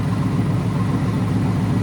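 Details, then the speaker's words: Coyote V8-swapped SN95 Mustang at idle after coolant bleeding, alternator reading only 11.4 V: deep, steady burble with an even beat and no knocks or ticks; running good, normal idle. "It's running good though. Sounds good. Everything's perfect."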